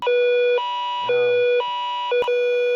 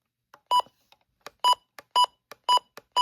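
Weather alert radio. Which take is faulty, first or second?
first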